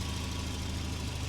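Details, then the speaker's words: Car with a 2.3 litre red block 8-valve small-turbo four, factory aircon and ABS; head gasket was a past issue. Smooth, even idle with a steady low hum and no knocks or misses; it sounds lovely. Normal idle. "Oh, that sounds absolutely lovely. As you can see, it runs perfectly fine."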